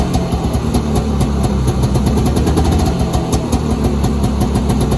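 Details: 1983 Polaris Indy 440 snowmobile, carbureted two-stroke twin, running after an engine rebuild: steady burbling, even popping beat without misfires or knocking; engine running as it should.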